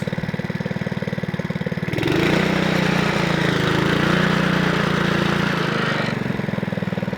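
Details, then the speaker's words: Honda Lawnflight 553 HRS Pro mower, Honda GCV160 engine, unrun for about 1.5 years, after gearbox rebuild, restarted on choke: even idle with a short louder stretch, then settles back to a smooth regular idle. "Probably wants a bit of fuel going up in that carb. That's about idling."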